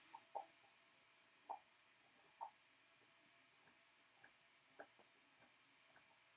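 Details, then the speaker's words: Voron Switchwire 3D printer printing a new, untested filament: irregular sharp little pops, about one a second, over quiet printer running while laying infill; moisture in the filament suspected, not confirmed. "yeah i definitely can hear that filament popping all the way from here"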